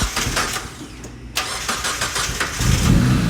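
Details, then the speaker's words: Turbo Miata NB, starting: catches after cranking into a lumpy, uneven idle with stumbles; a spark plug wire not seated all the way caused the misfire, and the wires were cleaned. "As you can tell, our Miata time clearly started out pretty rough there. Turned out there was a spark plug wire that wasn't seated in all the way, to which Mike said, "It's like, of course it's gonna run bad."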